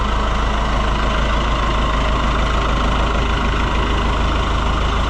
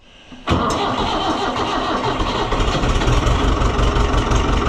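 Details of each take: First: Oliver 1365 (Fiat 640) tractor diesel after fixing a fuel filter leak: steady, even idle with a smooth low chug, no knocks or misses; sounds healthy. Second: Oliver 1365 (Fiat 640) diesel tractor after fuel filter and leak repair, with air in the fuel: it catches after cranking and runs unevenly, and the owner expects a lot of cranking to keep it going. Hard starting, air in the fuel system.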